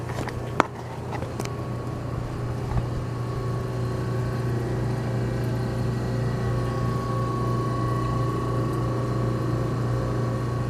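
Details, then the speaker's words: General Electric CJ-1-C16 antique fridge after repair, running in a 100-degree room at about 158 watts: nearly silent, low steady compressor hum with faint even tone, no knocking or rattling. Normal running. "Nearly silent."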